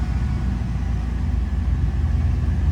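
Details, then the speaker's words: Camaro with replaced used engine, 95,055 miles, starts instantly: even, low rumbling idle sitting a bit fast; owner suspects a bad idle air control valve, not confirmed. "I think I gotta replace the idle air control valve because she does like to idle kind of high. But get in and hit the key. Man, it's just instant. But she idles a little high."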